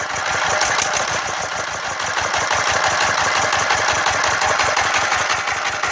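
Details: Yanmar TF115 11.5 hp single-cylinder diesel, freshly rebuilt (new liner, piston, rings, bearings) for hard starting, first start. Even clatter about three beats a second, slightly uneven; stumble attributed to governor not yet set; normal running.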